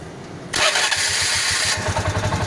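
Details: TVS King with a good fuel pump: short crank, then it fires within half a second and settles into an even, steady chug; normal start.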